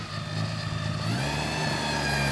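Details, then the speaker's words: Astra running again after almost two years, freshly assembled engine; steady running with a faint, constant high whine holding its pitch from the worn belt tensioner, to be replaced with a new one. "ay ese ruidito que escuchan el ex tirador de correa que le vamos a adaptar el nuevo"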